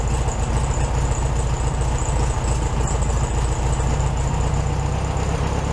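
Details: 1967 VW Beetle 1500cc, warmed up after carburetor refitted with a new base gasket: a steady, even chuffing idle with no misses or stumbles, sitting just a touch high. Normal healthy idle.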